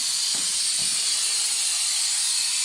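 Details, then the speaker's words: Cheap blaster cabinet, compressor charged but switched off, air just turned on: constant high-pitched hiss as air goes in, the receiver's drain valve open and bleeding air; compressed air leak from open drain valve. "That'll be it then. That's a drain."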